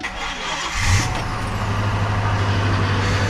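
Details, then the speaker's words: 2000 Ford Expedition V8 with replacement engine, first start after sitting a while, on a jump pack because the battery is weak. Brief crank, catches within a second, settles to steady even low rumble, no knocks or misses. Normal start and idle. "first start remember the motor been sitting for a while it's good"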